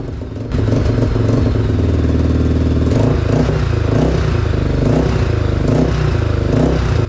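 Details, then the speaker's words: 2003 Honda 400EX ATV after top-end rebuild (new piston rings, timing chain), aftermarket Chinese carb, first start, choke on: single revs in blips but sags and stumbles past low throttle; bogging persists, white smoke from residual oil. "Unfortunately, the fresh piston rings and timing chain still didn't solve the bogging issue."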